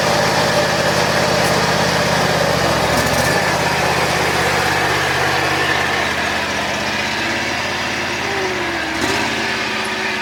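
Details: John Deere X540 mower, unused about a year, crank-no-start from no spark fixed by replacing the failed coils: steady, buzzy twin-cylinder drone with brief dips under load during function tests; runs smoothly after repair.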